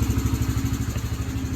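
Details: Yamaha TTR125 single-cylinder dirt bike, revived after sitting five or six months with a gummed-up carburetor: quick, even thump at steady idle with no stumbling or hunting; now running good.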